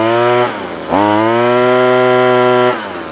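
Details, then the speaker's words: Two-stroke line trimmer fitted with a cheap Amazon replacement carburetor, nylon line cut back: buzzy note dips then climbs and holds a clean steady high rev once warmed up; runs fine, idle screw to be backed off slightly. "there's nothing wrong with that that's good it's revving a bit High now it's warmed up"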